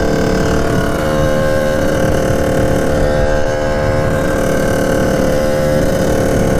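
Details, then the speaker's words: 1989 Kawasaki KX80 big-bore 110 two-stroke under throttle on test ride, no bog: drones at flat steady pitch without climbing into power band; owner suspects jetting. "I don't know what it could be either jetting or something's a little bit off it wants to go win a couple times when I was test driving it without the GoPro"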